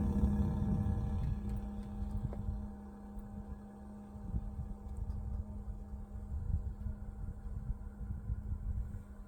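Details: Bison hand water pump, mostly in colder weather below 50°F: low, steady moaning hum with faint knocks shortly after pumping stops, as water drains out the freeze line drain hole; cause unknown.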